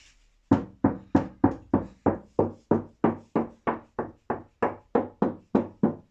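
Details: Bass car door being strengthened: even hand taps about three per second, each leaving a hollow ringing tail; the door skin still resonates in two sections, middle section has no flex.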